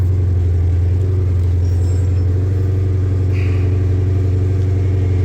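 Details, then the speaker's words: 2012 Chrysler 300 SRT 392 HEMI V8, just reassembled, engine light on; owner has a drivability issue and suspects cam or lifter; deep, even cold idle rumble with no knocks or misses; normal idle. "She purrs like a kitten till it gets"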